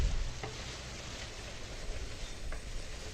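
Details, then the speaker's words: Acura 3G TL Type S V6 during a leak-down test on cylinder 2, rear head, which showed 205–210 psi compression: fizzing and sizzling as air escapes into the radiator coolant, a blown head gasket. "and see what we find oh i could already hear it yeah i don't think i need to go any further so yeah you can have good compression but that doesn't mean you don't have a blown head gasket"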